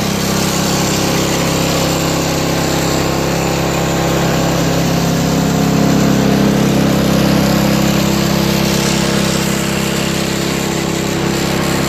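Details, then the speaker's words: Craftsman 5HP 22-inch single-stage four-cycle snowblower with electric start, fitted with homemade floor-mat auger paddles: small single-cylinder engine holds an even, fast beat with no misses or knocks; runs really well. "you know what I'm gonna start it up and see what happens as you can see it runs really well"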